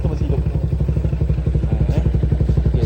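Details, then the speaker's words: Motorcycle after repair, idling: even regular thump of about four beats a second with no clatter; it had arrived making a rattling "kerang-kerang" noise, now sounds smooth with no problem. "bunyi dia pun smooth ya. Tak ada masalah."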